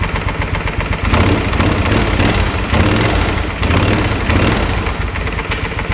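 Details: Original 39,000-mile engine of a 2005 Suzuki V-Strom 650, started on jumper cables with the oil never checked: rough V-twin idle with a sharp regular knock on each firing pulse from the bottom end. Rod knock, later fixed by an engine swap.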